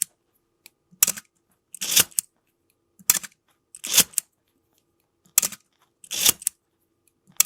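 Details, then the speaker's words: Canon A-1 after lubricating the mirror-box gears to cure a squeaky, coughing shutter: crisp, snappy shutter clacks fired one after another, each clean and even with no squeak or drag; the shutter now works properly. "Right. I like that. It's not that bad. Feel like the shutter is pretty accurate."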